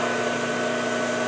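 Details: Replacement electric motor for a dairy milking-system vacuum pump, bench-tested for rotation direction; the old motor, 60+ years old, got warm in summer and shut off. A brief steady, even mid-pitched hum with no rattle or grinding: normal running.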